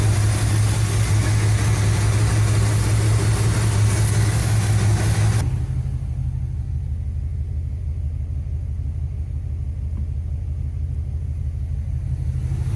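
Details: 1975 Cadillac Fleetwood V8 idling about 5 minutes during valve cover gasket replacement, being checked for oil reaching the top end (it does). Speed steps down and settles into a low, even burble with no knocks or misses; normal idle.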